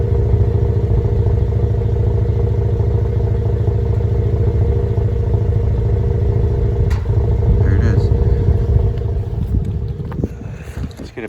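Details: 2015 GMC Canyon 3.6L V6 after a dealer service, recorded at the tailpipe at idle: uneven exhaust pulses of about three thumps a second with an irregular beat and stumbles; one cylinder misfiring from a nearly closed spark plug gap.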